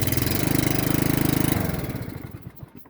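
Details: Briggs 17.5 mower engine after valve adjustment and an inline fuel shutoff added for fuel filling the crankcase: even, quick putter running smoothly, then slowing and fading at shutdown; starts and runs fine.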